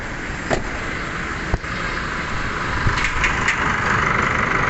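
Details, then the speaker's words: 2016 Chevrolet Trailblazer diesel at idle after fix: the rag-stuffed, overly stiff fan clutch and alternator pulley were dealt with and the fan blade refitted; steady clatter with a few clicks, the front-end noise is gone. "Yan guys. So nawala na yung tunog. So yun lang naman, yung clutch pa na nilagyan ng basahan."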